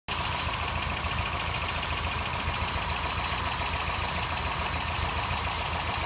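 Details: 1989 Toyota pickup 4x4 with 22RE engine at idle: rough, busy idle with a faint uneven tick under two per second; owner suspects a noisy valve or possibly rod knock, codes 25 and 26 also present, source unconfirmed.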